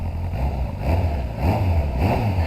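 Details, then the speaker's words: Kawasaki ZRX1100 C2, one owner, about 5,000 miles, stored years, after carb rebuild and oil service, on road test: lumpy four-cylinder burble rising and falling with throttle, faint puffing chuff; exhaust blowing at the collector, a common problem on these models. "just going at the collector, which was a common problem on these models."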